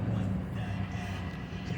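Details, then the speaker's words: 2004 Chevy Suburban 5.3 Vortec idling after alternator replaced for grinding from its bearings, charging about 14.1–14.2 V: steady, even low rumble with no grinding from the engine front; fixed. "i don't hear that uh that grabbing sound no more so we should be good"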